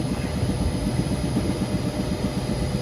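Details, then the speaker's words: Carrier commercial rooftop unit that was not heating, now heating after repair. A rough, churning rumble with an uneven beat about four times a second under the fan roar: bad blower bearing, to be replaced. "sounds like [ __ ] for real looks like a bearing's bad in there so we're gonna write up"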